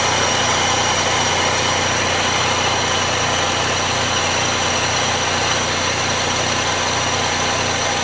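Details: Mazda Miata limited edition, 62k miles, idling with A/C switched on but the compressor clutch not yet engaged: a whirring drone over the firing pulse quiets as refrigerant flows through, probably lubricating a dry compressor. Owner suspects the compressor is shot.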